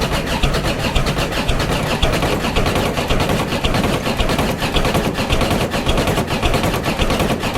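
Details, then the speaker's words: Diesel ute ("Clifford") cold start: an uneven, loose clatter of roughly two beats a second that won't settle, misfiring badly while cold. The owner suspects the glow plugs need changing. Cause suspected, not confirmed. "such is the cold starts on cliffy here's why you should change your glow plugs regularly"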